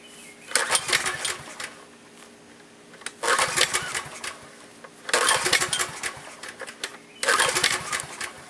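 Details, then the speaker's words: Generator unused for years, fuel on but no fuel reaching the fuel line, tank nearly empty of old gas: four recoil pulls, engine turns over but never catches; fuel starvation, fixed with fresh gasoline. "okay so I'm pulling my brains out and I'm going to find out why it's not wanting to start"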